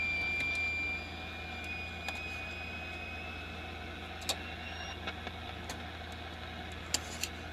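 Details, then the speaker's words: Vintage Motorola tube AM radio: a thin steady whistle over the AM hiss drops out when a nearby poorly filtered USB charger is unplugged, leaving some background noise; radio whistle from charger interference. "got away the whistle that really cleaned up a lot of this and still some noise in the background here"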